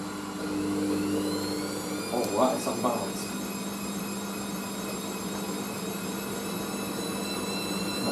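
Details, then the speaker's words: Hoover SIX AAA160 Whisper 1600 washing machine with three heavy throws after suds problems, final intermediate spin: steady motor hum, then soft thumps as drum slows and tumbles; unbalanced load, spin aborted to redistribute. "Oh, a little spin you do. Oh, it's redistributing."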